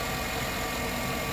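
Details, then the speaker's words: 2007–2014 Chevy Suburban 5.3 Vortec V8 showing zero or low oil pressure after sensor and screen replacement: even, steady idle with no ticking, knocking or rattling; bottom end sounds healthy, oil pump doubted. "you can hear there's no noise it's not ticking it's not knocking it's not banging around"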